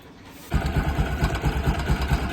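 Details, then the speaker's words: Bajaj Pulsar NS200 BS4 single-cylinder at idle, after a Manali ride: loud rapid "kit-kit" ticking from the top end, first blamed on the timing chain; the fix was replacing the camshaft. "Timing चैन की आवाज आ रही है। काफी तेज kit kit किटकिट की।"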